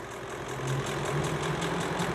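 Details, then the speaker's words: 2016 Ford E-450 5.4 L V8, code P0301 cylinder 1 misfire, towed in after running without oil: rough, uneven lumpy idle, unstable after a slight rev; vacuum near limit. "el motor comienza como se aceleró un poco Entonces ya pero está inestable el motor"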